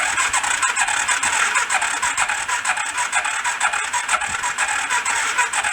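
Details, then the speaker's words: Rat rod quad, a four-stroke, cranking during a compression test after valve clearance opened up: light, even cranking at about two beats a second with weak battery; compression still low, about 55–60 psi. "a little better we're not great it's above 50 it's like 55 60 right around their ass"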